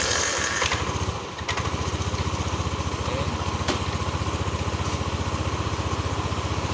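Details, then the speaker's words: Yamaha NMAX 155 (old model), code 61 ISC system, idle control 37% engine off: steady starter cranking about three pulses a second with brief sputters that never run; suspected missing spring or dirty throttle body. "Ini masih mati-matian saya tahan tidak ada nyala ya Ini kemungkinan dari per yang tidak tidak terpasang dan bisa juga dari eh total body yang kotor"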